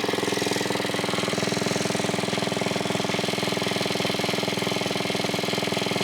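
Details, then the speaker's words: 1980s Onan 1.7 kW generator after carburetor cleaning, air filter refitted: fast even buzzing single-cylinder drone at steady speed; it briefly shut off once, owner unsure why, maybe clogged again, but overall working. "We have the Onan 1.7 kilowatt generator. It's running. I don't know why it died there for a second, but overall I think it's working."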